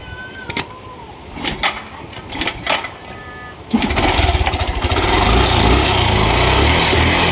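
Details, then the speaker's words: Yamaha YTX 125 with sidecar, formerly misfiring, broken starter: after repair the engine catches and runs steady and even, no misfire, but the bike still won't move in first gear, so a clutch problem is confirmed. "Okay na yung andar niya. So wala na siyang palya pero ganun pa rin ayaw umusad."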